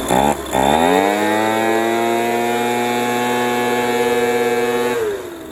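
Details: Echo PB230LN older handheld two-stroke blower that wouldn't rev up, running with a rock-hard purge bulb after new fuel line and filter; catches, climbs to a steady high buzz, holds four seconds then drops off; seems to run all right.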